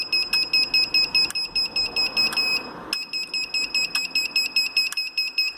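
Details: Gliderol electric garage door opener after closing: sharp high beeps about twice a second with relay clicks; works fine until closed; remote reset, obstruction sensitivity readjusted, limits reset, power cycled, none helped; cause unknown.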